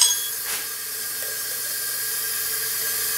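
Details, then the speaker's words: Briggs & Stratton 20 hp single-cylinder Intek engine on a 2009 Ariens riding mower, engine stopped during leak-down test: steady thin air hiss escaping from cylinder into the intake behind the carburetor mount, indicating head gasket leak. "correct that's actually the intake your carburetor bolts to here okay so it's actually leaking right through here"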